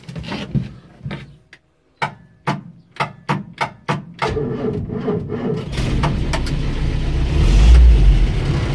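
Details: Land Rover Series IIa with a mechanical fuel pump, long needing some cranking before firing and with a sticky starter motor: a few slow, even cranking strokes, then it catches and settles into a steady low running note. Normal cranking and start.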